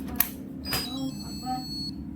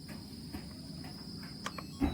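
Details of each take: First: Yongma digital rice cooker after 12 V injected from an adapter into the step-down supply output: at switch-on a clear, strong, steady high-pitched beep, louder than before, and it now runs and cooks; regulator IC suspected faulty. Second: Yongma digital rice cooker that powers on but won't heat or cook: a thin, steady high-pitched cricket-like hiss while it tries to cook, as if supply voltage drops; dried filter capacitors in the low-voltage supply.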